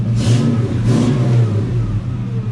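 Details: Project 4TO8 Mustang with new oxygen sensors: two quick clean blips rising smoothly and settling to a steady, even idle with no knock, miss or rattle; sounds great.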